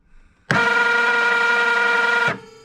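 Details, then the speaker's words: 2004 Polaris XC700 snowmobile starter bench-powered through its solenoid from a 20 V 5 Ah drill battery: under two seconds of smooth, high, steady whir with no engine turning; the starter spins free without engaging, before the ring gear is fitted on the primary clutch. "Well, solenoid works, starter works, but what the heck does it spin?"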